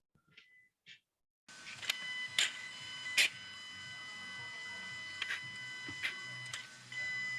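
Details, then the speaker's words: 2015 Mercedes W212 E250 Bluetec 4matic diesel at 130,000 km, just after a fuel filter change: ignition cycled on and off, brief chirps then a steady high-pitched hum as the fuel pump primes and fills the new filter; normal priming. "And you can just hear the pump working and filling up the fuel filter. You got to do that because otherwise it will take a couple cranks to start and it might not be good for the high pressure fuel pump or the injectors."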